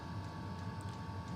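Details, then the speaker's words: Custom Webasto water heater welded to a Chinese diesel heater, running about 5–7 minutes on heat setting 4, radiator bottom at 56°; steady even roar, low rumble, faint fixed tone, no surging or popping; normal running. "I believe it's been on 5 to 7 minutes on heat setting number four"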